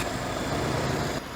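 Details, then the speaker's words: Ford-script Willys army Jeep flathead after the carburettor was pulled apart: a low, soft, steady idle with an even beat and no knocks or ticks, quiet with no valve train; running smooth. "Gotta love flathead engines, they just run so nice and quiet. There's no valve train to make noise. Sounds pretty sweet."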